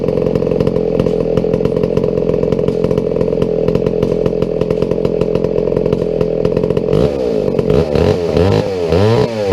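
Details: Old McCulloch 797 123cc chainsaw that sat unfired for years, running on a foo bar fuel system with an added filter after a few issues were sorted; crisp, even high-pitched scream holding steady, then blipping up and down cleanly, healthy.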